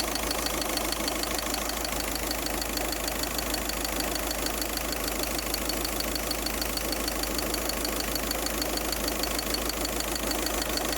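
Steady idle with a constant airy hiss riding high above the engine note; a hiss at idle, source not yet pinned down.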